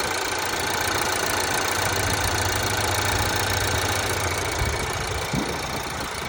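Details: Changan CS55 Plus, 8,000 km mileage, outside temperature +3 °C: steady cold idle with a light knock repeating about three to four times a second over the engine hum; engine knock at idle.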